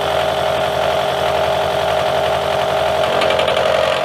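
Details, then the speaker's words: Face mill test cut with a Drillpro 4-flute 400R 50mm face mill using APMT1604 carbide inserts on an R8 arbor: harsh steady singing tone with rough buzzing, heavy chatter, nasty surface finish compared to the other insert, though a nice cross pattern. "Seemed to do pretty good on that pass. A lot of chatter. Do have a nice cross pattern, but you can hear it, and the surface finish is pretty nasty compared to what the other insert did."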